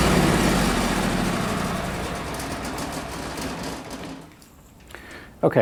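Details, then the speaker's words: Miller Bobcat 225NT welder/generator, older Kohler engine, once thoroughly warmed up: even, steady hum with no surging or stumbling. Owner says the engine needs full warm-up before the fuel pump works properly and relies on an electric fuel pump when cold. "so in the last clip you just saw the motor was actually running really well"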